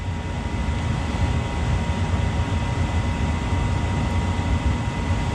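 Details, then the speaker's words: Mana 80 SV Air Command furnace after a no-start repair, jumper wires fitted: the blower runs to cool the unit so the limit doesn't trip. Steady airflow roar with a low rumble and faint constant tones, no knocks or scraping, normal blower running. "Let the fan cool it down a little bit so the limit don't trip."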